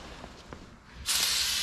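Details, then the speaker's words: 2018 Honda CRF450R tubeless tire being inflated: sudden steady high hiss holds without a break as air escapes past the tire bead where it isn't seated on the rim. "so the air is coming out from somewhere now look right here the same direction the other end the other one you can hear the air coming out"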